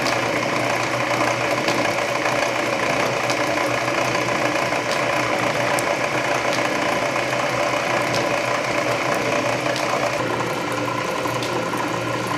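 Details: Canedy Otto drill press at low speed drilling a large hole under power feed; main drive belt slightly loose but masked by gear reduction torque; steady cutting roar with faint ticks, no knocking — normal.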